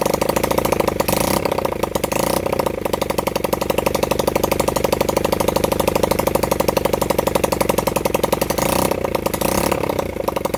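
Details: Honda CB100N single-cylinder motorcycle after over 20 years off the road, jump-started from a weak battery; rapid popping beat that stumbles and wavers in speed. Rough running; the owner says the carburettor was in a bad state.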